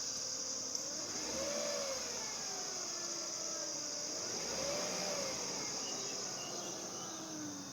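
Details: 2005 Acura RL, 166K miles, timing belt and water pump replaced at 101K: a thin high-pitched whine at idle that rises up to 2500 rpm. It happens with or without AC and does not change when the steering is turned. It comes from the alternator and belt area; the owner suspects the alternator, water pump or a pulley.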